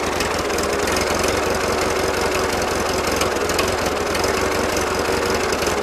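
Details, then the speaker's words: 1941 Ford 9N tractor after plug wires checked individually, before idle screw adjustment: uneven lumpy idle with choppy knocking and loose clatter; running but not settling to a smooth idle. "if idling but you can tell it's not happening here I get the screwdriver and screw with the idle adjustment a little bit"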